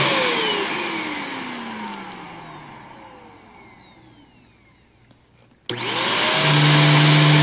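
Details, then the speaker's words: Greenote corded AC stick vacuum (18 kPa, HEPA, bagless): motor spins down to a stop, restarts and climbs quickly to a steady smooth whine; quiet enough to converse over, normal healthy running. "And all around, it seems to work very, very well. It's quiet. You can carry on a conversation with somebody while using this."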